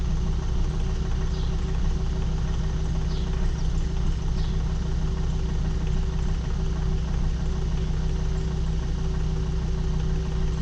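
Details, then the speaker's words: Volvo XC70 2.4 D5 diesel, first start after replacing high-pressure fuel pump and priming with electric pump: steady, even diesel clatter at idle with no misses, knocks or hunting; runs smooth. "So far it's running smooth."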